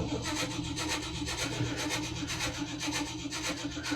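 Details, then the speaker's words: 1957 delivery not run for a couple of years, starter turning the engine slowly with soft even beats, a few per second, never catching; fuel delivery to carb unchecked; slow cranking, no start. "She ain't turning over very fast."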